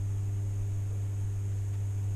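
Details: 1996 Impala with turbo 5.3 swap on E85 flex fuel, just fitted 120 lb injectors and Holley Terminator X Max: after ignition power-cycle, key-on with no start gives a steady, low, even hum of the fuel pump priming normally.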